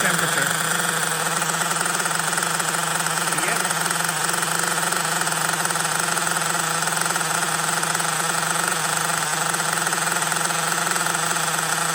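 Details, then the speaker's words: LRP 32x Spec 4.1 nitro engine at idle during the second break-in tank in cold weather: steady buzzy burble, still running rich with a lot of oil from the exhaust, carburetor idle stable. "still running rich a lot of oil coming from the exhaust so attack number two still running rich"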